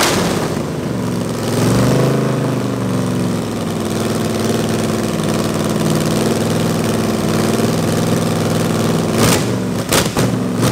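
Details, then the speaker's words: Big-block Chrysler 361 Mopar mule engine, first start on a homemade run stand, revved by hand then cutting out; sounds good but won't idle, almost no accelerator pump, carburetor bowl leaking, carb needs a lot of work. "it sounds good but obviously it won't idle and I've got no accelerator pump really so and we got a leak here we got a nice nice leak out of the bowl so carburetor is going to need a lot of work"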